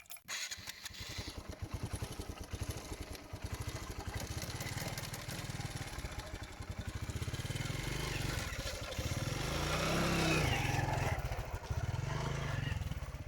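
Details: TVS Stryker motorcycle with a chain-slipping-like noise when releasing the clutch in gear and oil consumption, clutch assembly fitted 300 km earlier: engine runs with an uneven chattering pulse building with revs; mechanic suspects worn or broken engine bearings; the engine was fully rebuilt.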